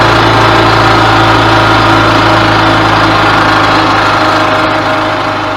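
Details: 2000 Yamaha G16A golf cart single-cylinder after rebuild with fresh oil, filters and new spark plug: steady, even run at fast idle with no knock or tapping; engine sounds healthy.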